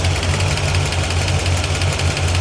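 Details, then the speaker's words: 1981 Corvette V8 after water pump work, temperature gauge above 200 and climbing: steady idle with a light regular tick of about eight per second from one bank; owner suspects a valve tick on the side previously found very loose. "Hate to say this, but I hear a ticking. That's definitely a valve tick. Nope, we're getting a tick."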